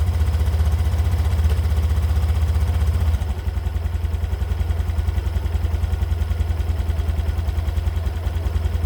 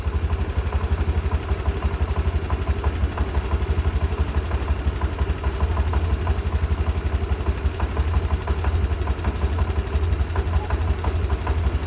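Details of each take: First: 2022 Honda Beat Deluxe scooter after first CVT service, new roller housing, rollers, slider pieces and V-belt, regreased: even low putter with no clatter; earlier clacking was from broken slider pieces, now smoother. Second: Honda Beat Deluxe 2022 scooter before its first CVT service after 2 years, at idle: fast clattering rattle about three beats a second over the engine; owner feared connecting rod, but cause was broken slider pieces and a worn roller housing.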